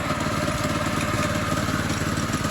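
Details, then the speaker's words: Monster Moto 80 minibike with a new Predator 212 single swapped in, first run, wheel in the air: rapid metallic clatter from the loose clutch sprocket hitting its metal guard after the chain came off; not the engine. "The chain popped off, so now it's the big little chain part clanking against the metal part."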